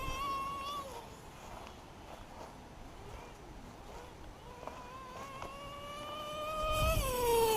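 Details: LRP .32 nitro RC engine with Novarossi race carb, first full-throttle run of the day: thin, piercing buzz climbing to a scream at full throttle; high-speed needle slightly too lean.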